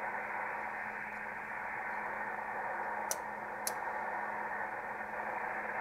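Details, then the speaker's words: ICOM IC-751A ham transceiver after the PLL adjustment, with an RF generator signal injected near the antenna input at 11 MHz. No clean tone comes through, only harsh hissing mush with a faint low hum; the audio is still distorted, so the fault is not the PLL adjustment. "and we're still distorted so it's not a problem with the pol interesting"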